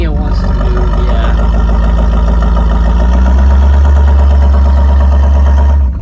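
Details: 1985 Chevy C10 305 V8 with quadrajet carb and new distributor, fuel from a jug, trying to move: deep V8 rumble sags and stays low as load comes on; bogging, owner suspects timing still off.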